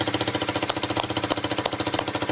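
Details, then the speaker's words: Honda CBR125, 8,700 miles, after replacing injector, fuel pump and old fuel: quick even single-cylinder putter, steady idle with no stumbles; cause uncertain, owner suspects fuel pump worsened by old fuel. "so the bike now runs and unfortunately we've changed three things we've changed the injector the fuel pump and the fuel"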